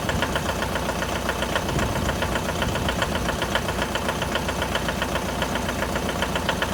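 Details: 2011 Mitsubishi L200 with 4D56 diesel at cold idle: sharp, regular metallic knocking at about 220 a minute over the idle; cold-start knock, cause not identified.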